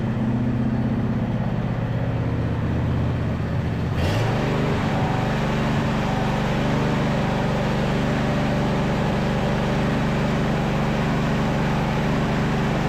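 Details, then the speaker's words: Neglected John Deere E180 riding mower running a bit better after repairs but still spitting and sputtering irregularly after catching and revving; gas age unknown, plugs and carb not yet checked, owner suspects old fuel: engine sputtering. "well it is running a little bit better but you guys can hear it's still spitting and sputtering"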